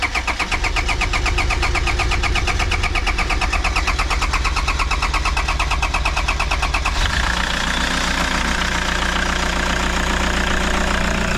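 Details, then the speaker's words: Toyota Super Grandia (Hiace) diesel after valve cover gasket replacement, fuel line emptied, priming pump at fuel filter worked while cranking: steady starter churning, about three beats a second for seven seconds, before catching and settling to idle; extended cranking from air in fuel line. "So ngayon, medyo matagal to. Magre-redondo siya mga kaibigan."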